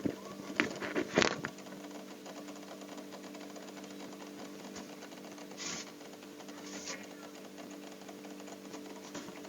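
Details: Sanyo refrigerator compressor running after condenser (8U) install, oil added and flushing through vacuum pipe; quiet, steady hum with a few handling clicks early on, runs smoothly, no sign of blockage.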